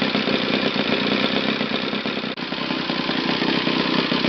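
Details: Used eBay Saito FA-60T flat-twin model engine, first bench test run before refurbishing: loud, steady buzzing drone at constant speed, firing crisply with no sputter or misfire; runs well from low to top RPM.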